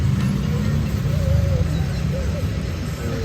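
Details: Suzuki Jimny JB43 with a rough, low-rpm idle: low, uneven chugging with irregular pulses and stumbles instead of a steady beat. Work done was a head cover gasket replacement and new spark plugs.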